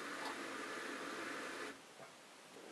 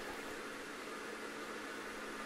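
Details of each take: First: Bosch SHE4AP02UC/06 dishwasher with 500 ml of water in the sump: once about 250 ml is pumped out, the drain pump keeps running with a steady hissing, gurgling, air-sucking sound instead of shutting off. This repeats every time. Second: Bosch SHE4AP02UC/06 dishwasher with a drain pump that starts and stops, tested with an empty sump: steady airy hiss with a faint constant hum and no knocks as the pump runs continuously, sucking air.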